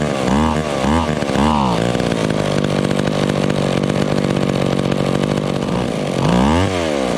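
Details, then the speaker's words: McCulloch Pro Mac 10-10 chainsaw, warmed up: blips, then a fast, even idle that won't come down even with the idle mixture turned fully in. A small air leak is suspected, probably from worn crank seals that haven't been replaced. "this saw probably has a small air leak because i turned that idle mixture all the way in and it still still wanted to idle so it probably has some crank seals going out in it"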